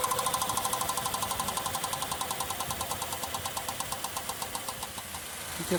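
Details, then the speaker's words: Honda Fit 1.4 on lift, noise at 60–80 km/h: fast even ticking about ten strikes a second, slowing as wheel coasts; oversized head of a nylon zip tie replacing the CV boot clamp strikes the heat shield. "que acontece aqui ó esse carro foi trocado a a abraçadeira aqui da da coifa e aí aqui ó e colocar um uma cinta de nylon tá o que que acontece essa cinta a cabeça dela aqui é muito grande ela pega na lata aqui do defletor é o defletor de calor aqui"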